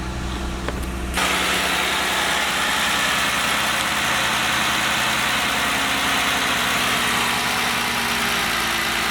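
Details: 2015 Jeep Wrangler, 51,000 miles, after repair of engine tapping caused by a worn rocker roller bearing: steady, even idle with smooth hum and no tapping or ticking from the top end; normal idle, nice and quiet.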